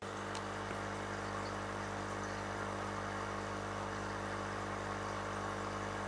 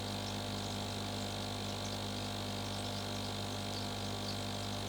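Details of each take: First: Aquarium air pump emitting a constant low electric hum with a chattery buzz, as the pump body's vibration reaches the table through an L-shaped joint resting on it; vibration buzz from a fitting touching the table. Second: GEX e-AIR1000 aquarium air pump switched on: a steady low hum with a constant buzz on top, no pulsing or rattle. It runs normally but is fairly loud.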